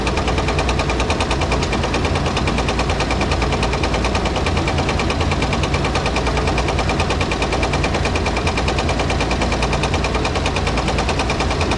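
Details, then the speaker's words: Dodge M37-type Vietnam-era military truck revived after sitting about 15 years following a loud engine racket: loud petrol engine with a heavy, regular rod knock until shutdown. Needs a rebuild; thicker oil or a rod bearing won't fix it long term. "this thing probably needs to be rebuilt now you can run thicker oil in there you can change out the rod bearing but long term that's not going to fix the issue"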